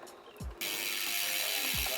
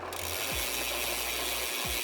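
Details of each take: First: Bicycle front derailleur on largest chainring and smallest rear cog, high limit screw deliberately loosened: steady scraping hiss with light ticking as cranks turn, chain rubbing the cage; fixed by turning the screw clockwise in small steps to about a 1 mm gap. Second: Bicycle front derailleur after adjusting height, angle, cable tension and limit screws: crisp ticking of the chain through up and down shifts, with clean quick changes, no chain rub, grinding or dropped chain.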